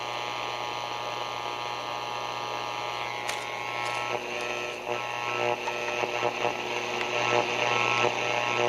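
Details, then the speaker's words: Radio received from Don M, tuned to 80 m band with antenna up: steady mains-type buzz with raspy overtone and building crackles under band noise; RFI interference, owner plans to run it on batteries. "I'll have to run it on the batteries because there's too much RFI interference"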